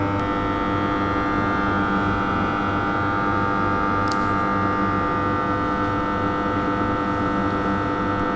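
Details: Steady, even low hum with strong overtones from a loaded TM oil-filled power transformer, 1000 kVA, 10/0.5 kV; whether the hum is normal or excessive is left open.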